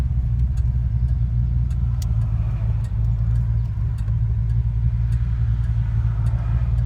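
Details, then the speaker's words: Fox-body rebuilt 5.0 V8 with XE270 cam and Walbro high-flow pump, warmed up, 1100 rpm in second gear launching on a hill; deep steady rumble, no bucking, smooth low-rpm running under load. "There's 1100 RPMs in second gear, no bucking. Yep, not too shabby."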